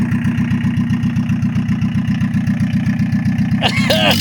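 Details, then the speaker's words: 1982 VW Rabbit diesel pickup: diesel chugs at steady idle then falters and dies; relative suggests a loose ground strap off the transmission, a known issue on five-speeds, unconfirmed. "so my uncle had he's got two of these and he said when they start and die like that that a lot of times it's the ground coming off the transmission"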